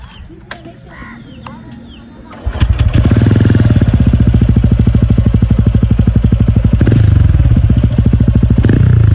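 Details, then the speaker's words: TVS Ronin 225 after its 3rd service: starts, then a steady, even exhaust thump at idle, about three pulses a second, with no rattles. The beat is back to how it was when new and engine noise is reduced; running healthy. "Engine sound வந்து அவ்வளவா இல்ல இதுல engine sound reduce ஆயிடுச்சு. பீட்டும் வந்து அதிகமாயிடுச்சு. Normal ஆயிடுச்சு பீட்ட வண்டி வாங்குனப்ப எப்படி இருந்துச்சோ அந்த மாதிரி வந்துருச்சு பீட்ட."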